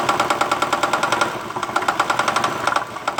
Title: Acura 2001 ticking noise (help)